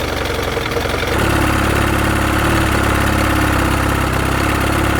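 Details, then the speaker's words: Roughly 60-year-old abandoned Evinrude two-stroke outboard, first run in years, in a test bucket with milky water and oil gunk: catches after a stumble, busy ragged burble, started hard; rough running after long storage, shut off to avoid damage. "I'm sure that'll change a little bit once I fire it up, but it started. Not as easy. Unbelievable."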